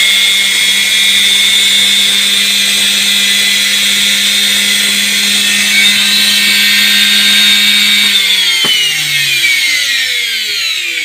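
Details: Indesit washing machine brushed motor after lubrication and reassembly, on test: spins up to a high, steady whine with smooth even pitch, then winds down cleanly, no scraping or sparking crackle; normal run.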